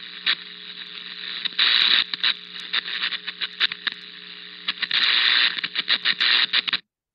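A steady low buzz and hiss broken by irregular sharp cracks and pops: electrical arcing.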